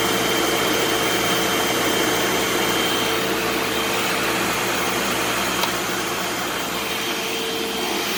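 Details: Eureka SmartVac 4870 upright vacuum rebuilt from two broken machines, running on high-carpet setting: steady motor whir with constant rush of air, no surging or dropouts; normal running, though the belt later seems to slip slightly.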